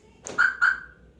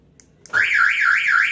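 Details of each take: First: 2016 Toyota Avanza alarm unlocking: two short, clean, identical high chirps, the normal unlock signal; only the lock sound is odd, after a service in which the hood sensor was dislodged. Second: 2016 Toyota Avanza car alarm gives two warbling siren bursts of about a second each on locking instead of one short chirp, while unlocking sounds normal; after a recent service the hood (bonnet) switch was found knocked loose and its clip broken.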